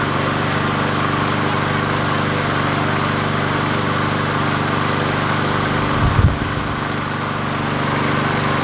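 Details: 20" Murray push mower #20201D after straightening its wobbling crankshaft and cleaning: the single-cylinder engine holds a steady, even buzz with a brief stumble near the end and runs about as it should; the owner notes it could be low on gas.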